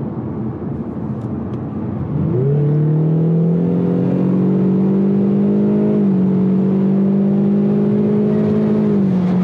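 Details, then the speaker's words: Ford EcoBoost under wide-open-throttle high boost while driving: hard pull with rising drone, then the note drops and wavers, a swishing, fluttering surge; owner suspects the recirculation valve pulsing to vent air, with an overboost code then thrown and power cut. "I guess it normally probably would throw an overboost code every time I hear that shuffling noise. And I think that really is the recirc valve just pulsing, trying to vent out air."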